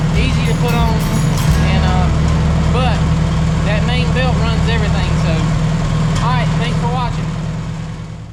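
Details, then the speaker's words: 1967 Farmall 140 tractor after fan/generator belt replacement: steady low even chugging at idle, no knocks, squeals or belt chirp; running normally. "all right looks like it's running through everything's good"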